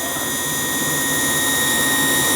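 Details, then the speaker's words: Hot-air gas furnace that would not run, heat off and fan tested separately: steady high-pitched whine over a soft motor hum from the draft inducer motor, not the blower fan. "oh that definitely that motor it's definitely that motor that's making the whining noise it's not the fan"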